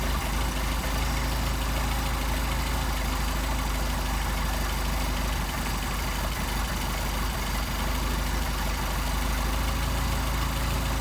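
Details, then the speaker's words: Mercedes 190SL with Solex carburetors, after idle mixture screw adjustment: low, even idle a bit above 600 rpm, steady beat, no misses or hunting; mixture set right, runs smoothly. "see how nice it sounds [Applause] sounds good there"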